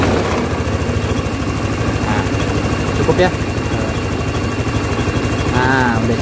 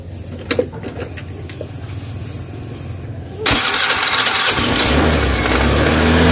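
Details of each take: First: Honda Scoopy FI scooter whose idle kept rising, after packing aluminium foil at the ISC sensor and adjusting idle: small single settles into a steady, even idle pulse with no hunting or surging; idle now holds correctly. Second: Honda Scoopy FI scooter: fires up at once, then holds a fast idle that keeps climbing and won't drop even with the idle screw fully backed off; high idle. Owner suspects the ISC idle sensor.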